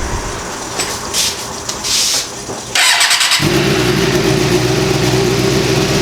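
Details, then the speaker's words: Suzuki GSX-R motorcycle start-up; short crank, catches at once and settles to steady even idle with no misses, extra noise from secondary throttle bodies over-opening at start, engine running perfectly. "i'll show you how the motor is running perfectly now you hear that extra noise that's the secondary throttle bodies it's just essentially over opening"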